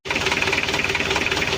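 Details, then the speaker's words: Mitsubishi L300 diesel (post-2010) before overhaul, with severe blow-by and oil consumption: a steady fast knock over rattly clatter at cold idle with vibration, suspected worn piston bores; no smoke when cold. "untuk mesinnya Emang geter tapi suaranya itu ada indikasi e rumah piston kalah kalau dingin memang enggak ngasap"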